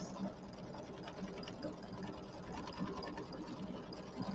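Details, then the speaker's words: Embroidery machine stitching applique on a pillow panel: steady, quick needle chatter, earlier clicking gone, only a faint normal bobbin click underneath. "But yeah, can you hear there's no clicking now. I hear the click of the bobbin in there, which is normal."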